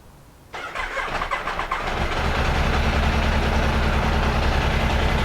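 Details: Benelli 899 TNT motorcycle with check-engine light on, started to find the cause without a scanner; fires up into a lumpy, uneven, stumbling low beat, one cylinder misfiring.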